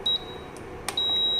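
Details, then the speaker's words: Induction stove with a black metal pan placed on it: repeated high, steady beeps in a quiet room, because the cooktop does not accept the pan, which is not induction-compatible. "இப்போ பாருங்கள், black metal பாத்திரம் வச்சுருக்கேன். Beep பீப்னு ஒரு sound வந்துக்கிட்டே இருக்கு பாருங்கள். இந்த பாத்திரம் அக்செப்ட் பண்ணலை."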